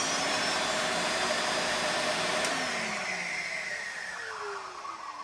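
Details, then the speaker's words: Electrolux Turbo 2 canister vacuum: motor runs with a harsh, gritty high whine, then spins down after switch-off; very dry bearings that need grease. "but the motor the motor definitely needs grease in it is very dry you can hear the bearings"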